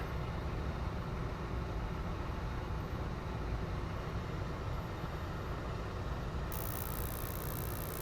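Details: York 5-ton gas unit after replacing the dead draft inducer motor, ignition module and transformer: a steady, even motor hum without knocks or scraping as the new draft inducer starts up before the pilot and main burner light.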